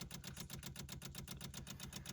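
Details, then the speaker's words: 1972 Rover 3500 P6, 3.5 litre all-aluminium V8 barn find that sat 6–10 years: electric fuel pump priming before first start, quick regular ticking over a faint hum, engine off, no fuel leaks, everything seems fine. "Electric fuel pump. Ticking away. Everything seems fine."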